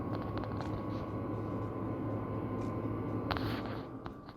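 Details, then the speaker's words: Power Mac G5 after a benchmark test, cooling fans spooling up from heat; steady whir with a faint high tone over room noise, a cycle that repeats until temperatures drop to about 45 degrees. "oh i can hear the fans ramping up which is weird because they didn't ramp up during the test it's getting there it's ramping up"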